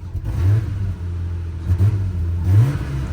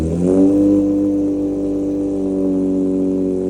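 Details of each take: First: Nissan R34 Skyline revved while stationary; low rev rises and falls with a couple of brief choking dips. Owner attributes the stumble to a known fuel injector issue that causes stalling when pulling away in first gear; a slip light is also on. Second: Infiniti G35 first start after installing PPE long-tube headers with a Motordyne Shockwave catback: steady, deep, even exhaust note and one clean sharp rev that settles smoothly; normal.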